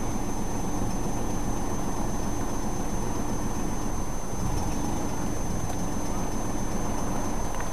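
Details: 1994 Chrysler LHS 3.5L at idle, catalytic converters opened up so exhaust is louder: uneven lumpy rumble, idles fine briefly then rpm drops and nearly stalls; sensors checked, PCM, plugs and wires already replaced; timing, flexplate or catalytic converter suspected.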